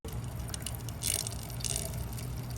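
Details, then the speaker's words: BMW 335i running its automatic coolant bleed cycle: trickling, splashing water over a low engine hum as coolant pours into the expansion tank with air bubbling through. "You can hear it bleeding itself. I guess this is BMW's way of bleeding the cooling system. The car does it itself."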